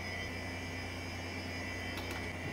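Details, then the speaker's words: HP 712/60 UNIX workstation at first power-on: a steady high whine over a low hum from its original early-to-mid-1990s hard drive, which is very noisy as expected and is to be replaced by a SCSI drive. "that's a very noisy hard drive as I expected it's gonna go away and they replaced by a blue scuzzy yeah I remember now how this early to mid 90s hard drives were noisy"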